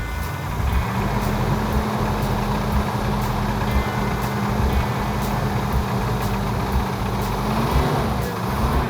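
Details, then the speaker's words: 1970 Plymouth Cuda 340 automatic, after fixing flex plate tinny sound: loud V8 idle with loose metallic clatter about once a second, worsening the longer it runs; source unknown, valvetrain, lifters, torque converter/flex plate or bottom end suspected. "Engines shouldn't make noise when you first start them. This has a metallic clanking sound to it."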